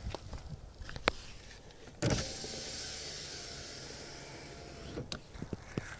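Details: Lada Vesta driver's power window, before repair: the motor whirs between sharp clunks and a light rattle at each end of travel; caused by a loosely tightened glass-to-slider clamp, fixed by adjusting and tightening it.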